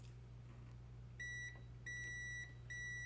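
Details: 2009 Chevy Trailblazer 4.2, crank-no-start with P1682: three clear high multimeter beeps over a faint hum as the whole circuit is retested with a temporarily twisted-in replacement wire. Continuity is good.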